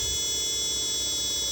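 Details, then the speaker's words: Chinese TV power supply regulator powered through a bulb as a safeguard: a constant, piercing siren-like squeal; the B+ voltage is only 7 V and should be higher, so the supply is faulty. "Lihat, bunyinya kayak gini, seperti sirine."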